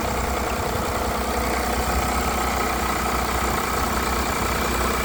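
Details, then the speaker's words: Honda J-series V6 at cold morning startup: fast, dry rattling knock over the hum from a failing timing belt tensioner; noise fades once warm, can set knock sensor codes; failure risks belt slipping and engine damage. "if you have a J series engines making this noise on initial startup in the morning it is coming from a timing belt tensioner failing"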